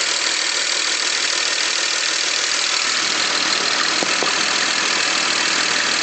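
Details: 2001 BMW X5 engine running: fast light ticking, about two or three a second, over a hissy engine sound, speeding up with throttle; cause undiagnosed (owner wonders about valves, lifters, bearings, rod knock or loose spark plugs).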